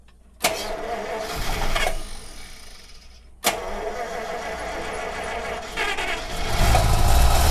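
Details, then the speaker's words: 1948 Buick Roadmaster Model 79 woodie wagon, 320 cu in Dynaflash inline eight, long-dormant, about 1.5 gallons in tank: repeated heavy cranking without starting; suspected fuel level too low for pickup. "it may not be up not high enough are you concerned there's not enough level for this yeah they only have so much fuel [Applause] it's not i don't think it's gonna pick it up we're gonna have to put at least a couple of gallons in there"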